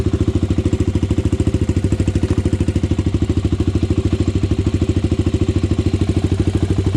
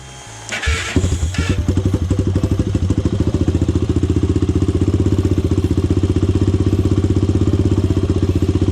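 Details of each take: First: Honda 400EX ATV single-cylinder four-stroke, after fixing idle air screw, pilot jet and main jet: even single-cylinder idle thump about 200 beats a minute, steady without stumbling; idling cleanly. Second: Honda 400EX ATV single, first start, high cam and high compression, unadjusted carburetor: catches after short crank, then fast slightly uneven chug about four pulses a second; running rough, carburetor needs adjusting.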